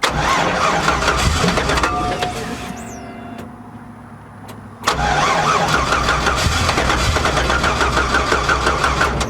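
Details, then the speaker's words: 1959 Chevy Apache with factory tank behind the seat: starter whirs steadily, pauses, cranks again evenly but never catches; fuel pump heard pumping, owner suspects too little gas in tank. "It doesn't sound like there's much in that tank. It's still got the factory tank behind the seat there, but as it's pumping up, it sounds like it's not there ain't much in there."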